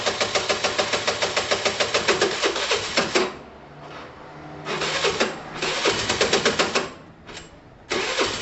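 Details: Same worn engine runs with coarse, uneven chuffing about three and a half beats a second, in bursts with pauses. Owner says the engine is shot and sounds very heavy, possibly not only a top-end problem. Heavy mechanical engine noise.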